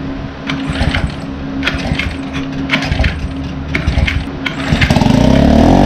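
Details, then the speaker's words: Mercury 4-stroke outboard (3.5–6 HP class) after a carburetor replacement for a start-then-die fault, primer bulb pumped: several uneven pull-starts, then it catches and settles into a steady, even putter. Starts and runs normally. "now we're gonna pull it a few times the ball will fill up this will crank up"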